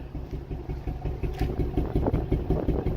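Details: Nissan VQ35DE V6 at idle after shift knob vibrated badly while driving: low, lumpy idle with a steady stumble in the exhaust beat about three times a second; one cylinder misfiring, no code stored yet until check engine light later came on. Cause unconfirmed.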